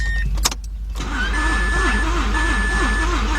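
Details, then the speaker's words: 2006 Mazda 6 that cranks but won't start: the starter spins the engine fast and light in an even whir with no compression strokes; no compression. "oh that that sounded like like no compression whatsoever oh my goodness"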